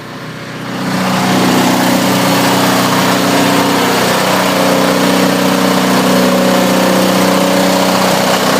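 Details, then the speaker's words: Onan DJB 6 kW diesel generator with new muffler, in a shed after a cold start: loud, steady, even diesel drone with smooth low hum, no knocks or misses; heard from outside it is quiet, like an air compressor; owner very happy. "y from the shed and sounds like an air compressor you know when it calls for air it's what it sounds like from here it's not la at all so you know there's the sound test I'm very happy with it"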